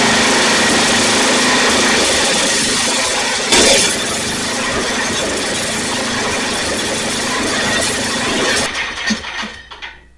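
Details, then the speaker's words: Snapper rear-engine mower sat in a field for years, retest after reinstalling air filter to counter lean running: runs fast and raspy then sags and fades unevenly, trying to stall; cause unconfirmed. "it didn't run well. It's kind of kept trying to stall out."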